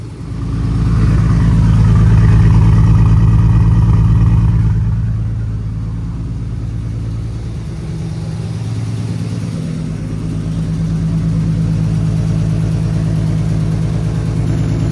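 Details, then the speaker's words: 1990 BMW 318i E30 touring with S52 turbo swap, after fuel pump replacement and freeing seized injectors; uneven, lumpy idle with one cylinder dropping out, unclear if running on six or five, number three injector sticking hard before freeing. "can't tell if we're running on six or five that was just five number three was sticking really hard but we got it now"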